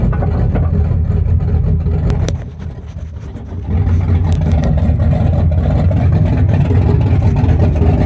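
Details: 1974 Chrysler Newport with a slightly tuned 440 V8, first start after a rebuild with new bearings, open headers, phone-recorded: a loud lumpy burble that dips briefly, then comes back strong and steady; a healthy fresh engine.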